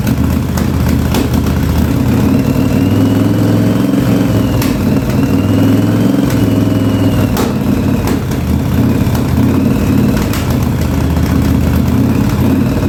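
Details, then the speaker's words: 1983 Yamaha Virago 920 barn-find V-twin, first run after the back cylinder's dead spark plug was replaced, with fuel leaking here and there. A lumpy idle with the front cylinder cutting in and out; the owner is unsure whether it is fuel or another failing plug. "uh she wanted to come to life there that front cylinder I don't know if it's the fuel or what but it's the front cylinder is kicking in and out there a little bit"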